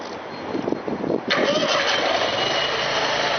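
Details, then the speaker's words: Briggs & Stratton Vanguard engine on sewer-jet pressure washer, started by wireless remote from distance: brief cranking, catches within about a second, settles into an even steady run; normal start. "Press the blue button to start. Okay, it's going. Hear it running."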